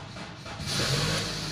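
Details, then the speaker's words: Car (battery NS60 about two years old) cranks heavily and slowly for about half a second, then starts and runs; starter motor suspected rather than battery, alternator confirmed charging at 14.2 V after start. "suaranya berat sekali Nah dia langsung naik ini Kebetulan mesin bisa nyala"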